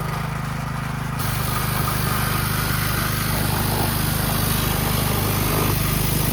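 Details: 2009 Kawasaki KLX 140 dirt bike, sat about two years, jump-started without a battery: the small single revs steadily with an even beat, no misses or knocks; sounds healthy and pulls cleanly.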